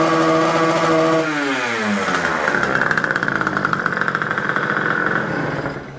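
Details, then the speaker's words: Warmed-up Rieju MRT two-stroke: note drops, then climbs slowly and unevenly with a ragged sputtering pulse, never revving out cleanly, as if held back; smoking, oil-rich mix; ignition timing or carburetor setting suspected. "widzieliście i Słyszeliście silnik naprawdę nie chce się wkręcić na obroty jakby chciał albo go coś trzymało"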